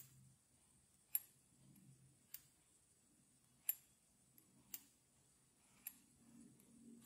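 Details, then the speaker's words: Losi LMT rear axle noise: sharp dry clicks at irregular intervals, about one per second, over quiet background; dog bone sliding back and forth in its cups, appears normal and harmless. "so the noise i heard was just the dog bone going back and forth"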